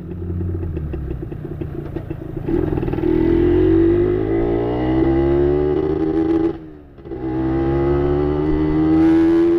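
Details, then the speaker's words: Yamaha 125ZR two-stroke, long unridden and likely long unserviced: revving sounds flat and dull without crisp crackle, pulls lazily, lacks power; owner suspects carbon-clogged exhaust needing a clean. "Ada sikit masalah dengan motor ni. uh, Lama tak naik. Lepas tu dia jadi, orang kata apa, kemungkinan lama tak servis."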